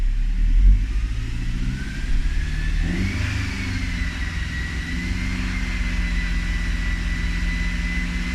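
Engine revs up and settles to a steady run with a thin whistle that climbs with the revs and then holds; the source is unclear.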